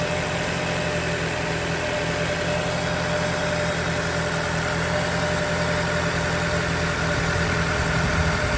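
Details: 2020 Toyota Camry 4-cylinder, about 50,000 miles, rough idle only on cold first start: irregular low shake and stumble through the hum, returning to normal afterward; a cylinder 4 misfire is suspected, not confirmed.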